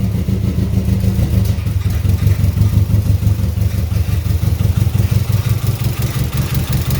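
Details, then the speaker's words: 2003 Subaru WRX rally car project idling low and lumpy, beat stumbling every few turns; rough idle misfire, compression issue suspected but unconfirmed, and it stalled. "Idling anyway. It ain't happy. It's misfiring."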